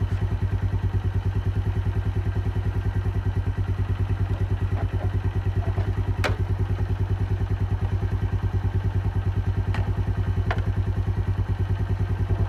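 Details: Keeway 125cc with Suzuki GN/GS engine, running after a replaced battery cured the no-start: even single-cylinder idle thumping about three times a second, no knocks or ticks; sounds healthy, normal idle.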